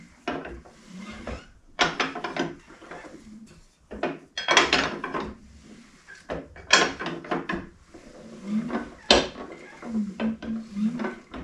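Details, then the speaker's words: Ford Model A engine in a homemade doodlebug tractor, sat 40 years, being turned slowly by hand after flushing, gives irregular heavy clunks; owner first suspected a loose rod, and these engines are known for breaking cam gears, not yet confirmed. "I thought initially it might have been a loose rod or something. But quick way to tell, obviously these are known for breaking cam gears."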